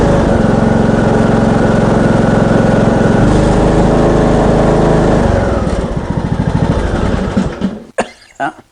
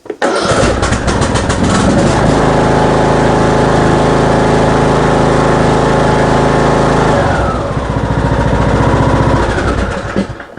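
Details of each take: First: Craftsman ride-on mower, 21 hp Briggs & Stratton single-cylinder engine, blowing heavy smoke, oil topped up before test drive: runs fairly steady under load, then sags, slows and stalls after about seven seconds; blown head gasket. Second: Craftsman ride-on mower with a 21 hp Briggs & Stratton engine, after a head gasket replacement for heavy smoking from a badly carboned engine: fires straight away, runs smoothly and fast, then settles to a steady idle with no misfires.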